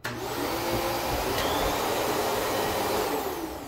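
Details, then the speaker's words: Kenmore upright vacuum on low setting runs with a steady, even motor roar and smooth, free airflow, with no bogging down. "you hear that that sounds better and more airflow"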